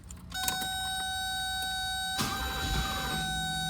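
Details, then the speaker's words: 1982 Mercedes 380SL, first start attempt after major idle mixture screw adjustment, fuel low (gauge at reserve): steady high starter whine with a sudden rough burst as it tries to catch, then keeps cranking; nearly starting, cause unconfirmed. "turn this on gas gauge comes up to reserve turn the key whoa she almost started"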